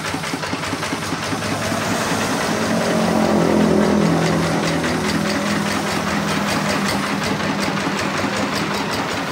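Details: RD 85 Series S single-cylinder diesel tractor engine that had lost power, idling after repair with damaged parts replaced; steady thump about 200 beats a minute, fairly even with no extra knocking.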